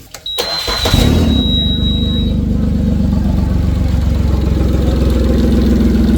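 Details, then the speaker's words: Suzuki DF40A outboard after new spark plugs, coil packs, both fuel filters, three injectors, zinc and fuel line (old line collapsed), fixing miss when coming off plane to idle: brief crank, then steady even idle, no misses; normal idle. "Sounds all right. >> Yep. Sounds good."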